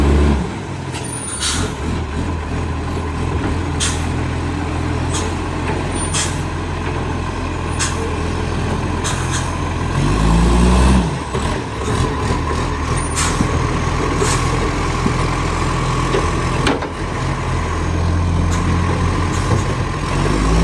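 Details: BSR800 diesel truck idling: sharp puffing ticks over the engine drone from an exhaust leak.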